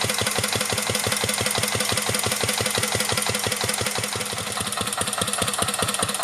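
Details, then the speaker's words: 1949 Petter A1 air-cooled single-cylinder stationary engine running a homemade "Bitsa" generator: crisp, evenly spaced beats at about three per second, steady and unhurried under load; the old engine runs sweetly, normal running under load. "okay I've now got the engine hooked up to the generator saw started up again and get generating electricity and then once it's running I'll shut up for a bit so you can enjoy the sound of a vintage engine"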